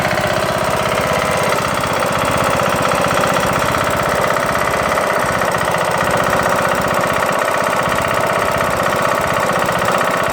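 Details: Craftsman LT2000 mower with a Briggs & Stratton single-cylinder engine: loud, hard, rapid knock about four per second, steady throughout. It began after the broken camshaft and timing gear were replaced; cause not yet found.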